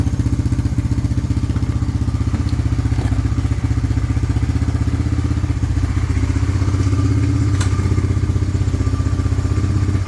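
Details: 1998 Honda 300 4x4 ATV, sitting for years, running after a Honda Foreman 450 carburetor was installed and the gas tank vented; steady, even thumping at constant speed, no misses, knocks or stumbles, no smoke. Normal running; later stalled, CDI suspected.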